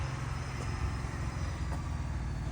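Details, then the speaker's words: Ford Bronco with check engine light that failed to remote start and won't switch off: steady low engine rumble continues after switch-off; owner suspects a headlight issue; battery disconnect was needed to restart. "the truck is still running you can hear it in the video you guys see the truck not wanting to turn off but also kind of not wanting to start in some situations"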